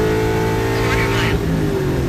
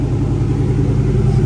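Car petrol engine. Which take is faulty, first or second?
first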